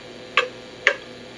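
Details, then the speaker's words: Antique cuckoo clock, before repair, swung right off center with beat numbers increasing: tick and tock unevenly spaced, about half a second then longer, lopsided; clearly out of beat, and even at best center position numbers stay off. "you'll see the numbers increasing and start to hear an audible difference clearly out of beat"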